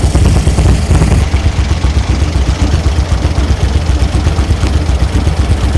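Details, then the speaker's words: 1964 VW Beetle running after new rockers, carburetor, coil, rotor and cap, likely flooded after excessive cranking: loud uneven chuffing idle about four beats a second with a galloping, loping rhythm; owner suspects it has a cam. "you can hear a Gallop let me see if I can get this thing to fire [Music] there we go it's actually running [Music] sounds like it has a mess"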